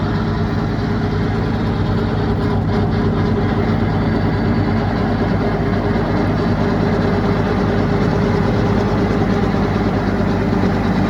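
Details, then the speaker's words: 1947 Ford 8N tractor driving a John Deere brush cutter: steady loud tractor drone with a shaking rattle from the PTO driveshaft, which barely clears and shakes from U-joint motion. This is normal for the setup. "Now what I want you to notice here is that drive shaft just barely clears, and it's noisy because it's shaking back and forth because of U-joint motion. So it makes more noise that way."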